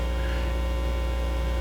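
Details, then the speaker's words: Heathkit AA-100 amplifier after rebuild with new can capacitors and bias board, first power-up: steady low mains hum in right and left channels, rising when the input is touched; cause not yet found. "hear it a little bit of hum in the right Channel so let me do the same thing on the Left Channel there's a little bit of a hum there"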